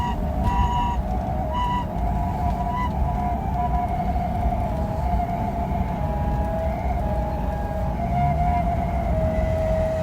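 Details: BMW 635CSi (E24) driving: wavering, siren-like whine over road rumble that changes with road speed, not rpm, quieter under load and gone once hot; cured by replacing the worn driveshaft center support bearing.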